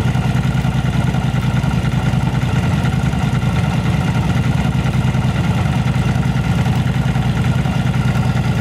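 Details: Yamaha V-Star 1100 Classic carbureted V-twin with backfire and plug flooding, cause a rotten pipe; steady even idle thump, no misses or pops, both cylinders firing; normal idle.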